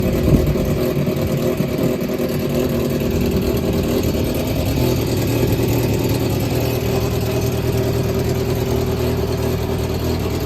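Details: Yamaha XJR400 (4HM) startup check: smooth, even four-cylinder hum with gentle rises in revs, no knocks or ticks; seller states no abnormal engine noise or white smoke. Normal running.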